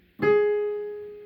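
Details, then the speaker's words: Casio PX-850 digital piano with popping on A5/Ab5: after octave shift, the same physical key now plays A4 as a single clean note fading smoothly with no pop; fault shifts with the note, suggesting defective sound synthesis in the processor, not the key. "to prove that it's not related to the physical key we can shift the octave can you do the octave shift so now test the same key yeah yeah so this would be a4 right now in the same spot as a5 before"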